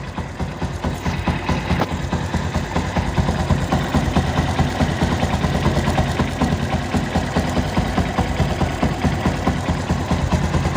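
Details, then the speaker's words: Yamaha Byson motorcycle, 500 km after an engine rebuild, valves already adjusted, oil consumption noted: idle with a light regular top-end tek-tek tick and slight jingle; suspected oil, cam chain or tensioner, unconfirmed. "kita dengarkan suaranya semacam ada suara tek tek tek terus ada suara agak gemericik"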